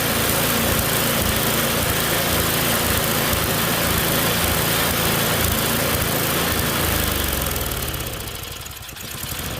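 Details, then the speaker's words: Tecumseh snowblower engine after carb cleaning and reconnecting the governor, one click from full choke: runs loud and fairly even, then speed sags and recovers, hunting and surging. Owner suspects the carburettor and plans a new one. "I'm end up ordering a new carb for it it just doesn't run very good doing here it said runs but it's surgeries so definitely gonna get another carb for it"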